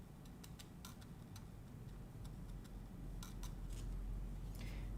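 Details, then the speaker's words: Mechanical keyboard stabilizer wire ticking at both ends when the key is pressed, even after bending both wire ends down; sharp, unevenly spaced ticks about three or four a second during a stabilizer wire balancing session. "and when it press down it tick tick both end so I have to bend them down bend them both down let's try it again it's it's sticking even"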